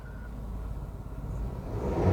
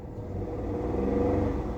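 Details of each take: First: Toyota 1KR petrol engine after fixing misfire with code P0353: revs up twice and settles back smoothly, even firing, no stumble. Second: Toyota 1KR petrol engine with code P0353: runs rough and lumpy as it revs, one cylinder misfiring from faulty ignition coil connection; check engine light on.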